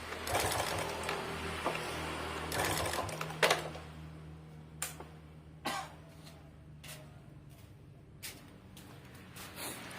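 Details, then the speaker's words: Yamaha Vega ZR small four-stroke idling with a fast, uneven light ticking and clatter from the top end, a cam chain rattle from a loose tensioner. "Jadi memang kedengaran suara ngeclek di motornya."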